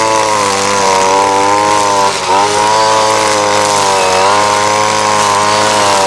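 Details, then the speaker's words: Ryobi SS30 30cc two-stroke trimmer after a simple carburetor adjustment: a strong, steady high-pitched buzz that holds speed under load with no bogging or stalling. Now running normally. "it's running great as far as I'm concerned here it's just not bogging down it's not stalling out"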